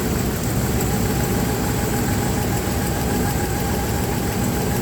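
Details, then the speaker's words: Dodge Ram 1500 with 6-cylinder engine, misfire at idle: loud rough lumpy idle; plug wires pulled one at a time listening for the arcing tap, suspected spark plug to be replaced. Cylinder misfire. "When it's misfiring, you pull the wire, then it should hear like a tap, tap, tap, and it should be pretty loud because that's what you hear arcing from the ignition wire to the spark plug to the closest ground."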